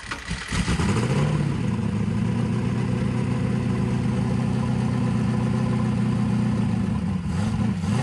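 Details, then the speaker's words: Carbureted engine in an S10 after fuel system rework, before dyno: fires up and idles okay, but barks up heavy and lumpy when throttle blades open; carburetor jets far too big, running extremely rich. "the engine fires right up sits there and idles okay but i can tell when i tip the throttle blades open the jets are way too big the engine's extremely"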